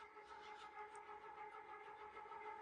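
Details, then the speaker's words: Restored gear-driven ceiling fan with a new Blender-modeled replacement gear, blades fitted, barely a breeze; steady even mechanical whine with clear high tones at one pitch: normal but loud gear drive noise. "You don't have to hear it. But yeah, it's loud. What a bizarre item, but so cool at the same time."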